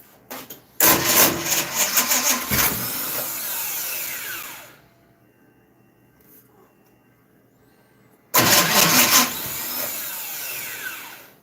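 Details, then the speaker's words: Dirt track race car engine, just reassembled and with oil pressure problems, on a rebuilt junkyard starter: uneven, labouring crank bursts stop and restart without catching; slow cranking suggests a tired starter, suspected not confirmed. "Might need a new starter, dude. Well, this starter is a junkyard special that's been rebuilt 35,000 times. Sounds like you need another starter."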